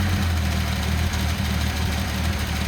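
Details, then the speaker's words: Datsun 280ZX turbo at idle with mixture set to max lean; low rumble hunting and wavering, running rougher, smoothing when richened. "you hear it you know runs a little rougher and we'll throttle up"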